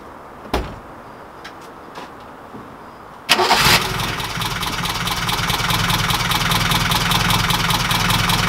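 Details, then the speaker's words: 1969 Ford Capri engine before the valve clearances are adjusted: after start-up, a fast, even sewing-machine ticking and rattle rides over the idle. This is valve tappet (follower) noise from loose clearances. "engine sounds like a sewing machine but you're right it does sounds freaking awful had I listened to the video I did yesterday and it rattles like a bag of spanners"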